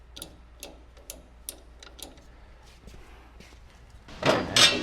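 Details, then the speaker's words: Bad Boy 40 Series tractor (4025H/4035H), newly installed rear remote hydraulics: light clicks as the lever moves, then a firm snap as the detent lever seats; the other lever is continuous. Normal hydraulic lever detent click. "This is a continuous lever. Your other one's got a detent in it. You can hear it snap there."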